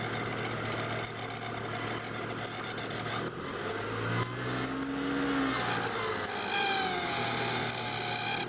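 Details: Volvo 850 just after cold start: uneven whirring whine wandering in pitch over idle, louder the colder the ambient temperature. Failing water pump, later replaced.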